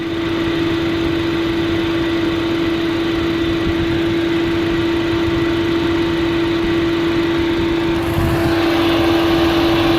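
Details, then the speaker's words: 2005 Chevrolet Astra at 221°F, both cooling fans on second (high) speed: even roar with steady hum and smooth airflow rush, no rattle or wobble; normal operation. Overheating fixed by replacing a fan relay. "221 grados se escucha como gira mucho más rápido [Música] ambos ventiladores giran"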